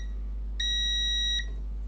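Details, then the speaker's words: Toshiba Satellite P850-31L laptop motherboard with charging fault and power cutting off, continuity test between pins: steady high beep under a second over quiet hiss; meter shows a short between the pins. "nothing very good in between each other no way oh it is short actually"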